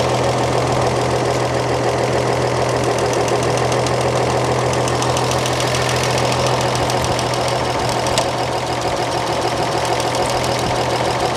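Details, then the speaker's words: 1938 Chevrolet coupe, engine warm and running with the valve cover off during valve adjustment: light, quick ticking from an exhaust valve found awful loose against its 0.014 in lash spec; excessive valve lash. "Awful loose."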